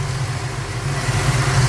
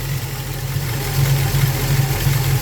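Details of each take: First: Ford Falcon 302 small-block V8, carburettor idle mixture screws turned a quarter turn clockwise on each corner to lean it: steady low burble smoothing out as rpm rises; over-rich idle mixture being leaned, vacuum steadier. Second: Ford Falcon 302 small-block V8 with carburettor and automatic, idle mixture screws reset to about one turn out from base during tuning: deep, lumpy but steady idle with a regular loping cam beat and no misses; normal idle.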